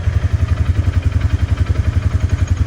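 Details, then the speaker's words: 2018 Polaris Ranger 570 Full Size with 322 hours and 2,500 miles, after fixing worn reverse gear in the transmission: steady low engine pulse as reverse goes in cleanly from low and high range, with no clicking or hunting for reverse like before. "And there's reverse. Went right in, no clicking like it used to do, and no hunting for reverse for a minute or two. It goes right in."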